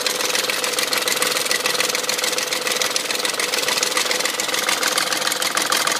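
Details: BMW M62 V8 at 510,472 km idling with fast, light metallic chatter about three per second over the engine note, seemingly up front; owner suspects timing chain guide rails, unconfirmed.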